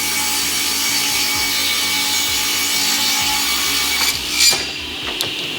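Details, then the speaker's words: JA Fay and Egan Lightning Line 500 power-feed ripsaw after maintenance with new blade, 3/8-inch test rip under load: bright, steady, crisp ringing hiss through wood, no rattle or thump; healthy sharp blade cutting well. "listen to it under load and hear how the blade cuts and how the shop works we're listening for that really crisp and clean sink kind of ringing as the blade"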